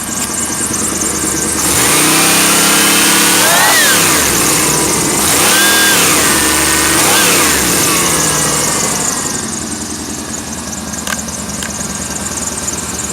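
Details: 1991 Chevy Blazer 350 TBI engine from a rollover, running smoothly then rising and falling through several clean, even revs with no knocks or misses before settling to idle; normal.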